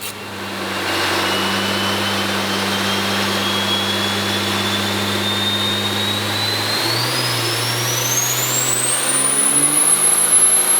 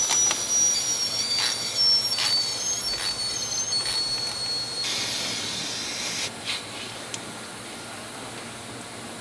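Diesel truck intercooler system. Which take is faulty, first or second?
second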